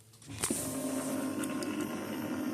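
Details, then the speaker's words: Epson ET-4800 all-in-one printer after complete reset, customer complaint loud clucking noise: light motor hum with sharp clicks as the scanner carriage travels during startup initialization; normal self-check, though it then doesn't go straight to the home menu. "Guys wondering, that's a sound of the scanner arm. It's checking to make sure everything is working properly, you know."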